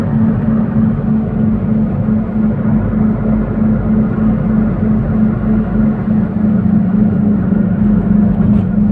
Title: why the humming sound in car while driving